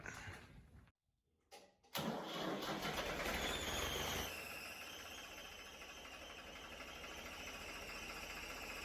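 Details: Restored Ford 4100 tractor, newly rewired with new hydraulic hoses: brief crank, then the diesel catches with a loud burst and settles into a steady, even idle, a healthy start.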